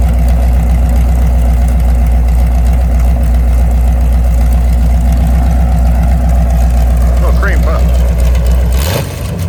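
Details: Mopar 383 V8, mufflers pulled, idling about 900 rpm: loud open-exhaust idle with a firm, regular lope that stays steady until shutdown. Healthy mild street cam.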